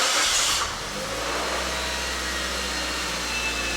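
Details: 2003 Mazda Protege 2.0L gasoline engine with 216,000 km, started right after an oil change with 3.5 L of oil: it catches and settles into a steady, even idle with no knocks or ticks, sounding healthy.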